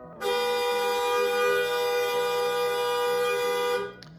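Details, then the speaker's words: 2005 Toyota Camry original horn, sound test before Hella dual-tone upgrade, peak meter reading 101 from a distance: horn held about three and a half seconds, pitch wavering instead of steady; horns need replacing. "So that was 101, but you could hear how wavy the tone was on that. Those horns need to be replaced."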